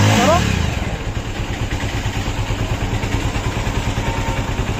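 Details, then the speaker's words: Bajaj Avenger motorcycle after an engine oil top-up: a quick throttle blip fades into a smooth, even thump of about three beats a second with no rattle; the engine sounds healthy. "तो दोस्तों देखिए इसका engine का sound जो है बिल्कुल सही है जितना रहना चाहिए बिल्कुल सही"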